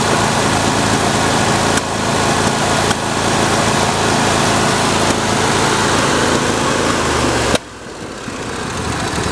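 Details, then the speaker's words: John Deere D140 lawn tractor at fast idle with irregular sharp pops and backfiring each second or so, despite new spark plugs, fresh fuel and a new fuel filter; valves suspected, cause unconfirmed. "Yeah, there it goes. You can hear it backfiring, popping through it."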